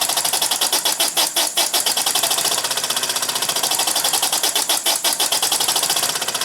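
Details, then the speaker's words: Model steam engine running on compressed air with a small brass flyball governor, governor spring left unadjusted: quick, even puffing at a steady fast beat with bright hiss; speed holds smoothly, governor working. "the Chinese engineer that designed these probably the same man was brilliant and ingenious because this thing does work"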